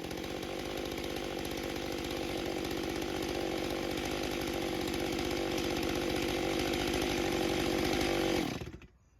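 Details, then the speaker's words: Stihl MS661c chainsaw with new forged Wiseco piston, 32-inch bar in soggy poplar: slightly four-stroking, uneven burbling on first full-throttle cut, cleaning up on second; cuts better than stock. "you could kind of hear it four stroking a little bit on that first cut and uh then it started to clean up in the second cut for sure"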